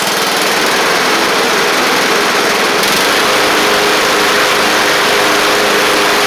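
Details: Craftsman LT1000 Briggs Intek engine after the carburetor was jetted out: a steady, crisp high-pitched run with no stumbling or surging. It runs sharp and clean, and, as far as can be told, is not wearing the belt.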